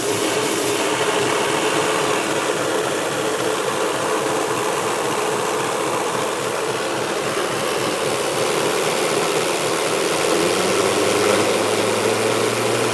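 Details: Micro hydro turbine, freshly resealed and leak-free, feeding an EcoFlow Delta Pro limited to 150 V input: a loud, steady rushing whir rises slightly in pitch as it comes up to speed and runs smoothly. Normal running.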